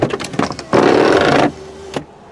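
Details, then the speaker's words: 1987 Toyota Camry LE, electric shoulder belts: amid door clatter a short harsh whirring motor runs under a second as door opens, then stops; noisy but working. "noisy but it works"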